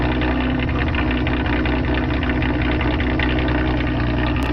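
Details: Nissan Altima SE-R jump-started after AC condenser and radiator replacement and a coolant refill: starts cleanly and settles into a steady, even idle with a smooth low rumble and no knocks or misses.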